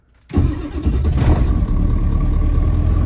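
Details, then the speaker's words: 7.3 Powerstroke diesel Bronco after switching to Shell Rotella T6 synthetic oil, sat a few hours at about 30 degrees: quick crank, catches within a fraction of a second, steady even low idle; healthy cold start. "Started quick. Let's go see if there's any smoke."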